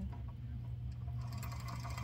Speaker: And Mary's machine is happily winding the bobbin. Just pushing the foot pedal. And you hear it, it's humming along.